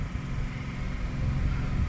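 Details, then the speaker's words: Onboard generator in a 2023 Airstream Rangeline (ProMaster 3500), up to speed supplying 120 V house power: even, low steady rumble with no knocks or hunting; running normally. "good now we can cook"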